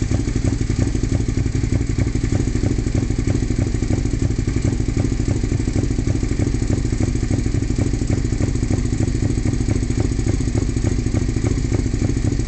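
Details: 2002 Suzuki SV650S V-twin with a full M4 exhaust sputters off-beat at a low idle, with an uneven, stumbling rhythm and occasional skipped pulses; rough idle, cause not yet known.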